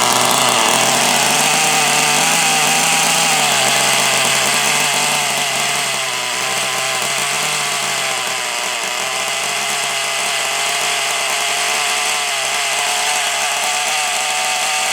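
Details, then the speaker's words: Nitro engine for a Kyosho DBX 2.0 RC car, built from two bad engines; high, buzzy steady pitch without sputtering, running excellently. "where's my glow starter there it is that runs excellent though do that run well"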